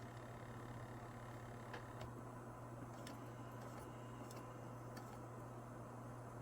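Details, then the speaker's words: First-model PlayStation 2 (early edition with link-cable port) booting a disc after opening the drive: quiet steady hum with faint light drive ticks, running normally, sounds like a PS2. "Yeah, that definitely sounds like a PS2. Haven't heard that in a while."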